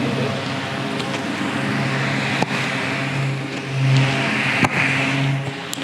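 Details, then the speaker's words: 12V solar DC table fan running on its AC adapter at full speed: a steady low hum under an even rush of air, the basic running sound all fans make, not disturbing, with no rattles or scraping; normal fan running at full speed. "ஆனால் ஓரளவு வந்து பார்த்திங்கன்னா fan ஓடுறதுக்கான அந்த sound வந்து பார்த்திங்கன்னா அந்த காற்றோட sound வந்து பார்த்திங்கன்னா வருது. ஏன்னா காரணம் வந்து ஃபேன் வந்து அவ்வளோ ஃபாஸ்ட்டாக வந்து பார்த்திங்கன்னா ஓடின்னு இருக்குது."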